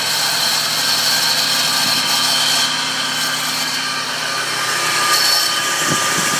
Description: 2002 Nissan Xterra, VG33ER (supercharged) / strange noise under the hood / What's this?